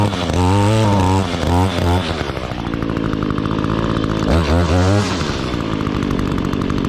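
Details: 2016 Echo GT-225 curved-shaft trimmer, 21.2cc two-stroke, just started: buzzes up and settles into a steady, even high-pitched run with clean throttle blips; sounds healthy.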